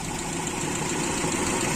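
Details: Engine with FMT carburetor recently repaired, poor plug wires and coil: steady idle with fast, light sewing-machine-like ticking; owner suspects valve leakage, especially exhaust valve, plans to open the cylinder head; unconfirmed.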